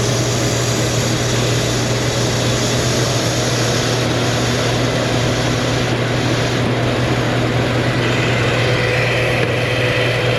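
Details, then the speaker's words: Car, fuel trims being tested at idle: steady low idle hum with faint airy hiss from a deliberately opened vacuum leak; fuel trim still subtracting fuel, engine runs rich, close to stalling. "Got a wide open vacuum leak. Still minusing fuel. Try not to stall it."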